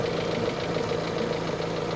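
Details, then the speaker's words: Kia engine idling at about 500 rpm shortly after a cold start; steady, even idle with a smooth regular beat, no misses or knocks, running smoothly with strong power. "Pino andar nito eh. Malakas puwersa pati nito."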